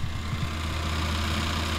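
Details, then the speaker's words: 2005 Mitsubishi Pajero (Japan auction import) idling with AC on: a light, irregular rattle from something loose near the compressor appears when the compressor engages and fan kicks in; owner suspects a loose part fixable with a zip tie, gone with AC off. "a rattling sound from something in there probably when the compressor comes on the fan kicks in and then makes that sound"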